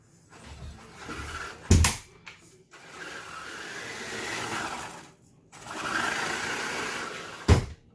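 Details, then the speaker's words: Kanyon RC gearbox after teardown and repair, grub screw refitted: two smooth bursts of electric motor whine, much faster, the horrible clicking noise gone. "That is much faster. And that horrible clicking noise is gone. So that's just what it was."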